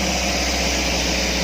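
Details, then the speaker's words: Daihatsu Gran Max, fully warmed engine, no tachometer: fast, even engine note that holds steady and never drops back; idle stays too high when warm, cause not yet found. "Ini mesin udah panas loh. Kalau masih dingin sih wajar lah ya kalau RPM-nya tinggi, tapi ini udah dingin, udah panas, tapi dia masih tetap tinggi."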